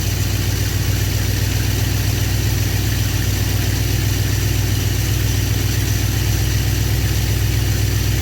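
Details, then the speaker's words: Cold engine with freshly rebuilt Thermoquad carburetor, on choke, untuned beyond baseline mixture settings: starts easily and settles into a steady, even idle that is slower than the fast idle should be. "My fast idle isn't quite as fast as I'd want it."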